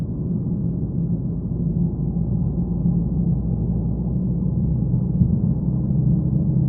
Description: A neutral and amplified recording of a droning noise from my 2015 Mazda 3 sedan.